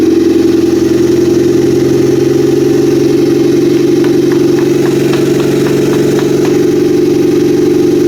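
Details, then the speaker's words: Freshly built Honda F23 turbo engine on its first real start: steady, even idle with a firm low hum and light ticks after a fuel leak and vacuum leak were noted. Power steering fluid was low. Heat-cycle break-in of rings and cylinder walls is next. Normal idle. "all right shut her down it starts legitimate first start what do you think about that"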